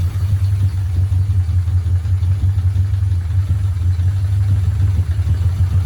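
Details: Mitsubishi Evolution 4, first start after the sump was removed, the timing belt changed and fresh oil added. Steady, even low idle with a smooth deep hum and no ticking or knocking; no leaks.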